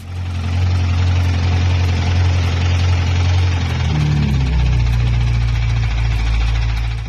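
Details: Broken BMW M5 bought as a rebuild project; deep, lumpy idle with a faint, uneven knock about three to four times a second; rod knock suspected, not confirmed.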